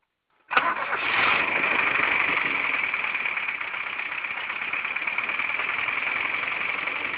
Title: Стук в двигателе.avi